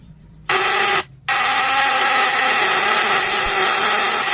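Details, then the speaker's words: Fish-stunning device (setrum ikan) with vibrating contact breaker (platina), 1 mm primary and 0.5 mm secondary wire, still cold, breaker tightened: harsh steady electric buzz cuts out briefly, then runs loud and even; described as quiet but high output. "dan bisa dibilang suaranya juga ini tidak terlalu keras teman-teman tidak terlalu berisik kecil sekali tapi outputnya besar"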